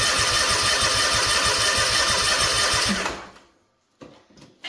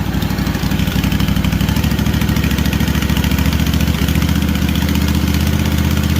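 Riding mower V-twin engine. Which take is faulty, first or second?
first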